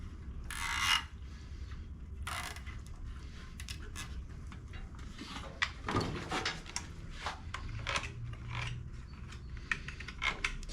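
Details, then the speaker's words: Toro 22in Recycler push mower, brought in as a no-start: engine spun by hand with brake zip-tied back, connecting rod broken apart; irregular dry clicking and scraping, no compression. Ratcheting noise of unclear origin, possibly camshaft-related. "the question is still though where is that noise coming from just one of the most interesting noises I've heard coming from a mower"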